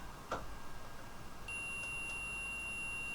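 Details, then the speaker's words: ESP32 project buzzer: after a click, thin high tone holds unbroken instead of a brief one-second beep; buzzer stays on too long, error not yet found. "you can quite quite clearly uh quite clearly hear it but it goes on for too long so I'm not quite sure what that is"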